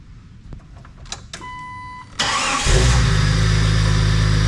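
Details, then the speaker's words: 1998 Jeep Wrangler after engine install, running rough until a new crankshaft sensor was fitted: brief crank, then it catches and settles into a smooth, even idle with no misses or knocks. Normal start and idle. "there we are. It runs."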